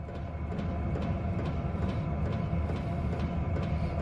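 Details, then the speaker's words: Sharp, regular ticks about twice a second over a low fan rumble from the fuel pump of an Hcalory 5–8 kW 12 V diesel air heater. The ticking is resonance amplified by the wire cart grate it sits on; moving or isolating the pump would reduce it. "noise now. It's even amplified even more by going through this wire cart. Got the little wire grate stuff on it."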